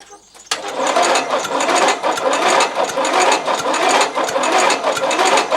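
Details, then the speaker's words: Used replacement 12.5 HP engine; second key turn, with enough battery to spin it. The starter turns the engine at an even pace with no firing at all, just a whirr; no fuel arriving because the carburettor float and needle are stuck. "Deuxième coup de clé il y avait assez de batterie Tu vois bien que le moteur il tourne mais à l'oreille tu entends qu'il y a pas du tout d'essence qui arrive"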